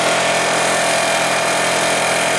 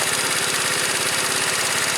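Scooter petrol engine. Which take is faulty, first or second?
first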